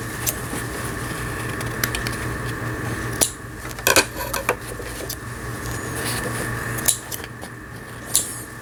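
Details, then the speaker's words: Juki HZL-27Z compact home sewing machine after repair of feed regulation cam: reverse stitching test, even motor hum with steady high whir and light needle ticking, no grinding or catching; normal reverse stitching. "지그재그 바느질이 지그재그 바느질이 정상적으로 되면 나머지 기능들은 정상적으로 박음질이 되는 겁니다. 후진 바느질."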